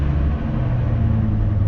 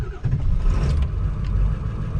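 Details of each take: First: Neglected Ford Excursion gas V10, cold start at 12 degrees: deep idle that wavers and sags, engine starts right up then stalls, cold-blooded; owner suspects a dirty idle air control valve needing replacement, not confirmed. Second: Ford Excursion diesel cold start at 12 degrees after glow plugs and intake air heater: catches quickly, oil pressure up, settles into a steady even diesel rumble with no knock or miss, high-idle strategy at about 900 rpm; healthy.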